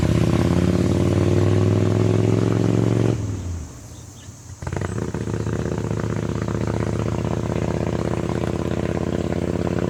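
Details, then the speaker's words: 1985 Harley-Davidson Ironhead Sportster ridden on the road: deep, lumpy V-twin pulse pulling under load, brief drop during a gear change, then steady cruise; runs pretty good but shifter must be whammed, likely janky forward control linkage. Normal running. "yeah it runs pretty good it's not perfect uh goes up and down the road it stops it shifts you really gotta Wham the shifter to get it to shift"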